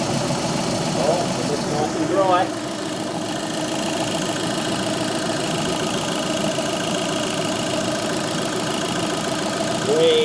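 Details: 2013 VW Polo 6R 1.2 TDi after oil filter cooler housing replacement for a coolant leak, run up toward temperature: even, steady idle with soft uniform clatter, no misses, knocks or surging; housing now dry, leak fixed.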